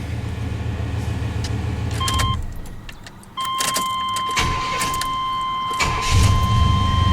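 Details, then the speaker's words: 1993 Chevy Silverado with hard-starting issues, fuel pump relay socket jumpered (orange to gray wire) so the pump runs. A brief crank, immediate catch and an even idle over a door chime. Normal start and idle. "This thing ought to fire right up. Just like that. No problem."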